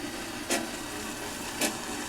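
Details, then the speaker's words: Mr. Coffee tea kettle filled to maximum, heating; steady soft hiss with two short crackling bursts, an odd noise of unclear cause while heating. "Making some noise. I don't know if you can hear that. It's weird."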